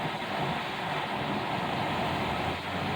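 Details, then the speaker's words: Dodge Dakota 4x4 with 5.2 Magnum V8 after an A/C fix: at idle with the A/C on full blast, a steady even rush of blower air over a smooth V8 with no squeal or clatter. Vents blow ice cold, so the A/C works normally. "but we'll go ahead and turn the ac on oh yeah full blast ice freaking cold"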